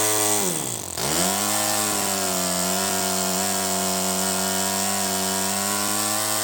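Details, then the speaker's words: First startup of a Toyan FS-S100AC miniature four-stroke methanol kit engine: dips in speed, then settles into a smooth, steady, buzzy idle at roughly 1000 rpm with an even firing note, no misses. "okay so it looks like it ran and it ran really smooth it was idling at like i don't know a thousand rpm"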